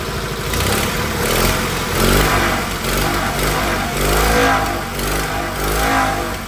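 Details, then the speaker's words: Fiat 126p two-cylinder engine after refilling and bleeding the water cooling system; engine swells and settles through throttle blips, firing evenly without knocks; temperature normal, cooling fan switches on before half-gauge; normal running. "i wentylator działa normalnie nie załącza się temperatura idzie tu się czyści mi system"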